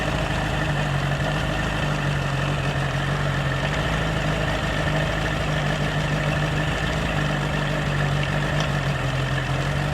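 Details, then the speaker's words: 1985 Bass Tracker outboard after sitting: low, even idle with steady beat, no knocking or stumbling; runs smooth but is smoking, and the water pump isn't pumping, no water from the tell-tale. "Not peeing water. Hey, it sounds pretty good though."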